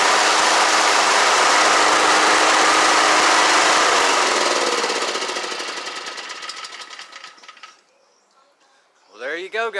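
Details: Toro commercial 21-inch recycler push mower with a Kawasaki FJ180V that quit suddenly and wouldn't start: after fitting a new carburetor butterfly valve, which had come off, it runs strong and steady at an even beat, then winds down smoothly after shutoff.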